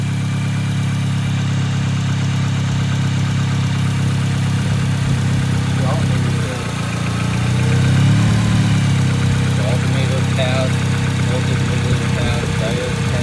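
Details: Acura RSX showing a P2500 alternator code on a Zus Nonda monitor; the battery passed and the alternator tested good at about 14 volts. A steady, even idle hum with no knocks or misses and only a slight swell in pitch. The engine runs healthy.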